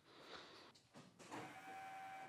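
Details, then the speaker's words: Porsche 911 with 915 transmission, just fitted with a high-torque IMI starter and ignition switch saver, first key-on: faint steady electric hum as the fuel pump primes normally over a quiet background. "It's fuel pump. Definitely sounds different."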